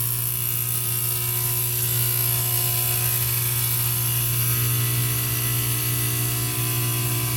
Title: Heating unit making noise again